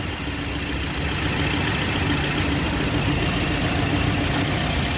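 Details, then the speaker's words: 2007 Toyota Yaris with engine running and AC on; customer reports jerking, hunting and misfire: steady idle rumble with an uneven stumbling beat of three or four pulses a second, a cylinder misfiring from a failing ignition coil. "मैं अभी गाड़ी hunting हो रही miss पर हो रही अब इसको हम चेक करने का तरीका बताएंगे"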